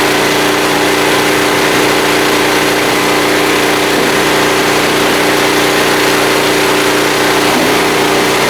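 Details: Small blue generator started on choke: even, steady drone at one fixed speed with no misses, surging or knocks; running healthy under load.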